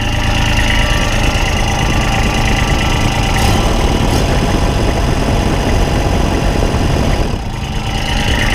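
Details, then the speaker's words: Engine started after tightening a newly fitted bracket, probably the Ditch Witch SK750 alternator bracket, to check vibration. It idles with a heavy, coarse low shudder throughout, unchanged; it is still shaking badly, cause not found. Heavy vibration at idle. "now let's start it up now and see how much it's see if it's vibrating any nail shaking real bad"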